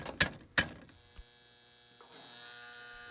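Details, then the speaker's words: Marx 666 toy train locomotive, badly worn, given power: a few handling clicks, then a steady electric buzz that rises with power but the motor does not run. The owner suspects the E-unit is stuck between forward and reverse. "it's buzzing i can't believe it that means the motor is trying to come back to life"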